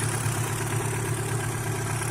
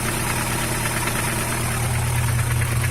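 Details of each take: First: Chevrolet Vectra engine at idle about 15 minutes after adding Motorkote100: steady, even low idle with a smooth pulse and light belt hiss. No knocks or vibration; engine running normally. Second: Car engine (the Vector) at cold idle with a light, fairly quick tapping, about three a second, over a steady hum, like lifter tick; occurs only when cold, recorded before adding Motorkote 100 treatment; cause unconfirmed.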